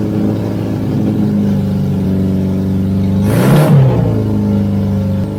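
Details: 1983 Honda Goldwing GL1100 barn find, first run after dealing with old gasoline: the flat-four fires up and holds a steady, even beat with a quick blip of revs.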